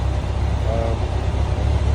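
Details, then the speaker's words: Kawasaki ZX-11 that had a cylinder 4 misfire from old, fouled C9EKS dual-electrode plugs, after going back to standard C9E plugs: deep, steady idle with an even beat and no stumbles; running cleanly on all four cylinders. "That's about it for this one. It's back up and running."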